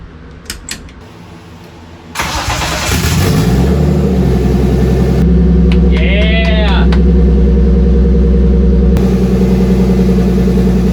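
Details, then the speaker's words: Turbo BMW E30 on E85, second start attempt after uploading a new fueling table: short crank, catches and settles into a smooth even idle, no misses or hunting; oil pressure good, idle holding. "So far, it's holding right where it should. We'll let it run for a minute. Oil pressure's good."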